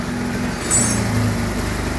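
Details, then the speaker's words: Bajaj Pulsar 150 BS6 with starting trouble and stalling on throttle, after clearing codes (suspected O2/TMAP sensor); uneven stumbling exhaust beat that chokes instead of picking up when throttle opened; misfiring and bogging. "Accelerator అవుతా లేదు misfire అవుతుంది చూడండి బండి"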